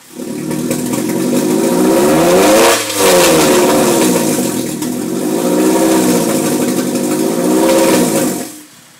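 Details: 2002 Type S with an Injen cold air intake that had trouble starting after a drive: revved twice with a rough, uneven note and light clatter. The noise persisted with the intake disconnected, and the cause is unknown.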